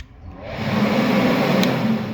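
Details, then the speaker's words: St 350 foam machine (Universal Effect) blower turbine switched on first for testing, spinning up from quiet to a steady whooshing hum at even pitch; pump is started about five seconds later once the turbine reaches full speed; normal blower start-up. "Donc obligatoirement, là, histoire de tester, on va d'abord allumer la turbine."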